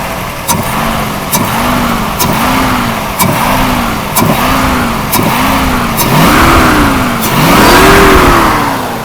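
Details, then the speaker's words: 1979 Mercedes-Benz W116 350SEL 3.5 L fuel-injected V8, after fuel distributor repair; repeated throttle blips each pull a deep roar that rises and falls cleanly with crisp response, no stumble; healthy free-revving V8. "The V8 fuel injection. It has a larger throttle. You can hear it when it accelerates. That deep roaring sound."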